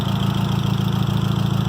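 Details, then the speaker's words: Engine of the 20th running just after first start following head work, fresh parts burning off; even steady low thrum with regular pulses, no knocks or misses, idling smoothly and healthy. "Oh, that's a nice sound. That's nice. Woo! What's that noise? Oh, just going on in here? It's alive!"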